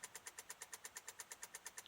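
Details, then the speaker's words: 2006 Honda Odyssey, battery charged, key turned: rapid even buzzing pulses about eight per second with no cranking; battery terminal separated internally inside the battery, new battery fixed it. No-crank buzzing from failed battery connection. "to turn some sort of buzzing"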